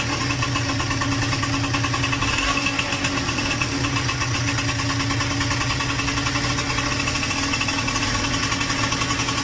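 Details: Yamaha DTR125 two-stroke motorbike idling with a busy, rapid metallic rattle-knock over the exhaust: piston slap, despite a new piston fitted three days earlier; owner first suspected a valve clipping the piston; carb also leaking from overflow.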